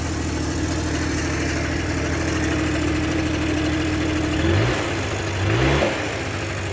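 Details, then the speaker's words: Yamaha Jog 50cc two-stroke scooter after turning the idle screw outward to lower rpm: steady, even idle, two clean throttle blips dropping back smoothly; idle now normal and running fine. "so as you can hear the rpm dropped a bit and is turning a little bit better so i'll just test it out uh even further and see what's going on"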